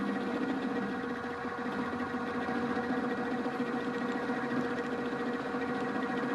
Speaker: looks very much like what you'd see and hear the milling machine and it's sort of working but you can hear some rumbling some chatter we feed this across the part